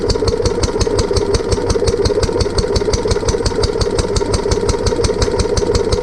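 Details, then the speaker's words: Barn-find Lister D petrol engine on a trolley with an Aerograph compressor, remounted after first start-up with fuel leak fixed and new plug: steady single-cylinder thump about five beats a second, engine shaking partly because the new coach mounting bolts aren't sitting well. "so part of the reason why the engine was a a bit jumpy was that the coach that the the the new coach bolts when sprint's sitting very well"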